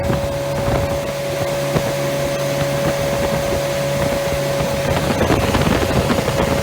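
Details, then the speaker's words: Freshly rebuilt Triumph Spitfire 1500 on engine stand, head shaved to about 9.5:1, .270 cam, warmed after 45-minute run, oil about 60 psi, temperature about 190: strong even drone with clean pickup, wind noise; normal revving, healthy rebuild. "so we'll crank it up let you hear it roar so that's fuel pump you hear clicking there about uh 800 rpms"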